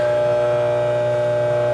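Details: Scotsman UN324 ice machine just switched to clean mode: constant mid-pitched auger motor hum with a steady whine on top, no grinding or clunks, reservoir not yet filling; auger motor turning smoothly.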